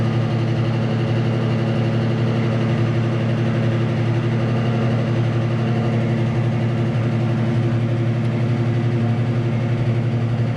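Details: 1966 Mustang Fastback factory V8, C4 transmission, after replacing oil sending unit for faulty oil pressure gauge: steady, even V8 burble at idle with deep smooth lope, no knocks or ticks; gauge now rises as pressure builds. Normal idle.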